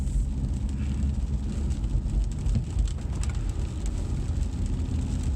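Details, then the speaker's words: 2012 Cadillac CTS road test after front wheel bearing replacement: only steady low road rumble at speed; earlier growl rising with road speed is gone, bearings now quiet. "See, before you just heard this obnoxious growl that increased with vehicle speed or road speed. And now it's nice and quiet."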